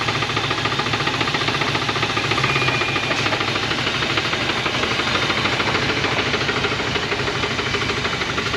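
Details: 1980 Dodge truck with a 360 V8 and four-barrel Thermoquad, sitting about 18 years, first start on fresh gas: a sharp, regular knock keeping time with engine speed through a rough, smoking idle, a known rod knock.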